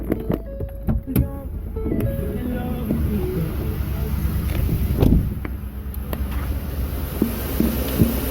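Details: 2010 Ford F150 5.4 V8 idling with a steady low rumble and no ticking, under background music, after replacing the cracked right-side exhaust manifold.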